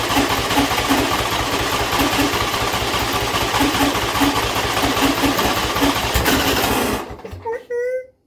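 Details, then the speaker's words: John Deere L120 mower after a carburettor replacement, choke off and a little throttle, battery run down from repeated cranking: steady cranking for about seven seconds with no firing. Hard starting, cause unconfirmed. "Still a really long crank. It shouldn't take that long."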